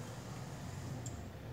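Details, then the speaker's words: Household fan that had been slow, sticking and noisy, just after oiling the motor bushing: soft, even hum of a freely spinning fan motor with no squeal, rubbing or rattle; runs quiet and relieved. "silencioso assim ó aí tipo rodando aliviado galera entendeu rodando aliviado"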